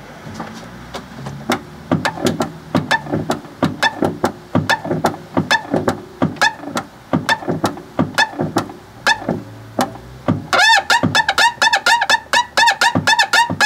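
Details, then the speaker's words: Fiat 500 1.2 clutch pedal, microphone near the slave cylinder on top of the gearbox: sharp squeaks with each pedal stroke that persist after greasing the slave cylinder plunger. The owner suspects the pedal pivot point; the slave cylinder may need replacement. "so although I have greased it it's still doing it now does that mean that it's rather than it being there it's the actual Pivot Point could it be the pivot point"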